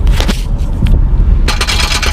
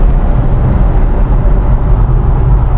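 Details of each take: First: S197 Ford Mustang with a highway rattle that persisted after transmission and clutch repair: rough, scratchy metal scraping in uneven bursts as the underbody panel is shaken by hand; loose splash shield rubbing the metal suspected as the source. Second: S197 Ford Mustang after an underbody rattle repair, cruising in 6th gear at 60 to 80 mph: steady road and wind roar with no metallic tapping or buzzing; underbody rattle gone.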